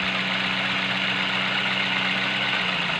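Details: Petrol engine idling smoothly with a steady low hum and no stumble after a misfire test found cylinder 3 dead and its spark plug was swapped; normal idle.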